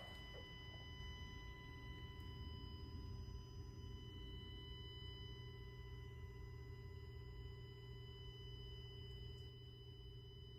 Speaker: hope you can hear it in the video it is a constant buzz and it's a noise and if you take the car outside uh because of all the uh external external noise you may not be able to hear it